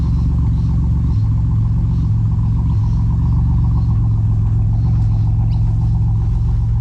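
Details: BMW E46 with turbo Ecotec swap, E46 rods and pistons, built transmission, running about 14 psi boost: deep, even, steady rumble with no knocks or ticks; turbo engine running healthy and smooth.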